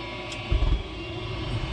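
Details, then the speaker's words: Goodman propane furnace after finding why it was tripping and resetting it, which had caused no flame and a six-flash error code, cover back on: low, even burner and blower rumble swelling as it lights, then steady run; works normally. "it's got the cover back on you can hear it turning on and oh yeah look at that you can see the glow"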